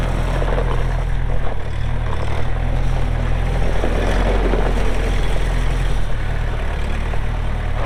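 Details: Kubota M6800 tractor (2004), pre-emissions diesel, 1,181 hours, 4WD with LA1002 loader and 8-speed mechanical shuttle: deep steady rumble holding even speed, no knocks, misses or squeals; healthy normal running.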